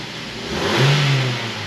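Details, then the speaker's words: 2005 Mazda 3 revved from idle in park after installing new motor mounts: quick, clean blip that swells and falls back smoothly, no clunk or rattle; engine sits tight, sounding and feeling really good. "Man, this thing is sounding and feeling really good, really tight."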